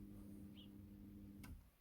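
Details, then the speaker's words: ECM fuel pump commanded on through a Topdon Artidiag Pro bidirectional function test: steady low electric hum with a buzzy tone that cuts off after about 1.5 s. The fuel pump runs normally. "Have a look at the ECM. Fuel pump. It's in German. Let's start it. You can hear the fuel pump"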